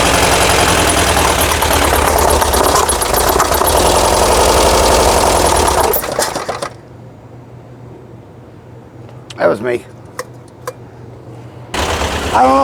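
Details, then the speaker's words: 1982 VW Vanagon flat-four after fuel-injection delete and single 38mm carb conversion: rough idle with a sharp pop about four times a second, a front-side cylinder misfiring; valve hanging open or needing adjustment suspected. "you can hear the popping you probably can we have a cylinder on the front side that is not happy um that's that high pit pop pop pop so valve issue maybe out of hanging sticking open"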